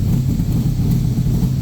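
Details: Backdraft Cobra 427 V8 on Holley ECU at idle after offset adjustment: deep, even burble with steady low rumble, no stumbles, pops or misses; earlier slight lean puff from one side went away; idle smooth and clean.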